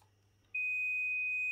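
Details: Bluetooth MH-M18 module fitted to an older job-site radio: a single steady high multimeter beep switches on abruptly and holds, showing continuity while hunting for a ground point to tap 5 V.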